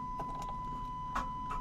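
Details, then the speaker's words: Starter clicking with no crank on a 6.5 Detroit Diesel truck that sat under a carport, in neutral with the key turned: a few sharp clicks, the engine never cranks though it occasionally turns over; owner believes the old starter is bad. "Hear that? We got some clicking going on. So you can hear that clicking in the video."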